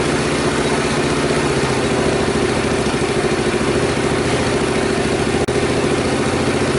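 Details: Honda Super Cub rebuilt from disassembled storage, after carburetor cleaning for overflow; steady even single-cylinder putter at idle, no ticking or rattle from the previously suspect cam-chain tensioner. Normal idle.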